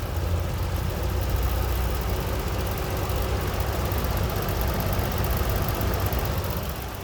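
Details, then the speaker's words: Old Eskimo three-bladed two-speed box fan, apparently model 201370, running on high: strong, even low roar with a constant whoosh and no knocks or wobble; runs smoothly. "i'll go ahead and turn it on to let you guys hear the sound and there's two speeds here we go on high"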